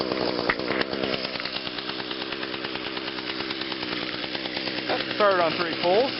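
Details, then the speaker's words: 2010 Echo HC 150 hedge trimmer, 21.2cc two-stroke, just started after sitting a couple of weeks: crisp, even buzz holding steady speed with no misses or stumbles; normal clean running. "not too bad after sitting for a couple of weeks"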